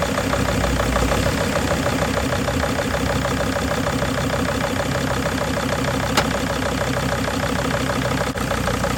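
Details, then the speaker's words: 2005 Mercedes Sprinter diesel van with leaking injector, fuel line fitting looking unsealed: uneven, lumpy idle with a loose irregular beat about three per second, sounding like a misfire; injectors to be tested next, cause unconfirmed. "You know what? It sounds like it's misfiring, doesn't it?"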